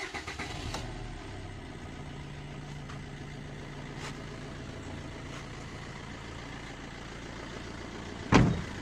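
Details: 2007 Suzuki Swift diesel with long cold cranking, high idle rpm and a misfire feel, after a new DRV on the rail and rail air bleeding: starts on a short crank and settles into an even, smooth idle. Normal start and idle.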